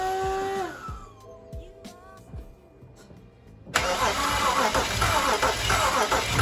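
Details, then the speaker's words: Non-running BMW 335i bought untested, cranked on a jump pack: the starter turns the engine at an even pace, nearly four beats a second, but it never fires and sounds soft. Owner suspects low compression. Crank, no start. "it definitely did crank um it does sound like no press no compression it's not gonna lie it sounded a little bit uh soft"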